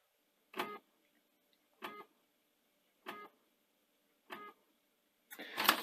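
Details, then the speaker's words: 2011 Panasonic DMR-EZ48 VHS/DVD recorder bought faulty: drive makes short whirring seek bursts about every 1.2 s, struggling to read the DVD-RAM side and giving U80/U81 error codes; end sensor suspected. Optical drive struggling to read disc. "so yeah it's really struggling with the um the dvd ram side of this and getting error codes and uh whatever so this deck is obviously not happy"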